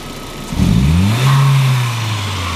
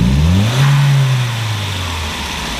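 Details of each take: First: 1999 VW Passat 1.8T (AEB), intermittent hesitation and power loss, original MAF not yet replaced; known-good baseline. Quick clean rise in revs, brief hold and smooth settle from idle: normal throttle snap. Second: 1999 VW Passat 1.8T (AEB): throttle snaps while scoping the MAF signal, reading just above 1 V at idle versus 0.9 V baseline. Two blips from idle, second one bogging and climbing sluggishly before falling back: hesitation from a faulty MAF reading high.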